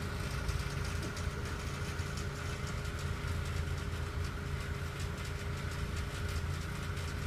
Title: Acura RSX 2006 (Base) Rattling Noise